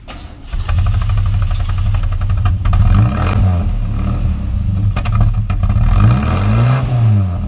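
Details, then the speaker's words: Isuzu Rodeo 4ZE1 engine, unstarted for months with battery unhooked and on charge, started in neutral before top-end rebuild (previous owner snapped exhaust studs): catches and runs unevenly with surging revs and sharp backfire pops; cause not confirmed. "she backfired man give her a big red flag"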